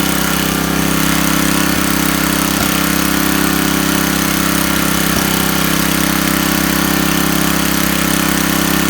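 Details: Coleman Powermate 4000 W generator, Tecumseh 8 hp flathead, after a carburetor replacement fixed its running problem; it smokes while burning off oil in the muffler: a steady, even single-cylinder drone at constant speed, no misses or knocks; normal running.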